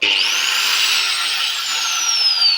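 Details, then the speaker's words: Angle grinder on 220 V from a household outlet: high, clean motor whine climbs quickly to speed and holds steady with no rattle or grind; normal running. "अब मैं आपको दिखाता हूँ कि ग्राइंडर को सही तरीके से कैसे चालू करना चाहिए। यहाँ मैं इसे बंद कर रहा हूँ। हमारे पास पहले से ही 220 वोल्ट है।"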